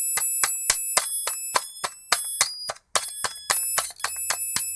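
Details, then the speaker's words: Cheap electronic burglar alarm kit with the inductor re-seated in socket 20: rapid, shrill chirps about three or four a second with sharp dropouts and uneven loudness, blamed on really bad connections. "what is that oh there's some really bad connections in here because the oscillator is some musical"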